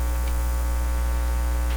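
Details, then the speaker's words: Nordmende Norma Luxus tube radio with clip leads to the audio system left open circuit and volume up: a steady low hum with a buzzy edge. This is mains hum pickup on an open input, used to test tube sockets for tap-sensitivity. "so it's open circuit so if we turn the volume up now you hear a little bit of a hum but i want it louder"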